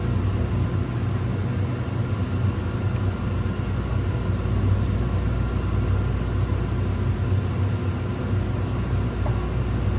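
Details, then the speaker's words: Raypak 1753A modulating vertical boiler after water flow switch replacement: the pump runs, the flow switch triggers and the gas valve opens. The burner fires with a steady, low, even roar, with no surging, knocking or cutting out. Normal burner operation. "we're waiting for that gas valve to open, you'll hear it. Seems like that switch is triggered."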